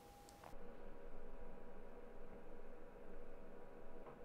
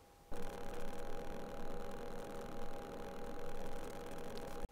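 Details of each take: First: Sony a6400 with Rode VideoMic Go after wrapping the mic body in aluminium duct tape: low even room hiss, the interference clicking and popping eliminated. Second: Rode VideoMic Go on a Sony a6400, before fix: rapid crackling clicks and pops over a steady whine from RF interference; cured by wrapping the mic body in metal duct tape.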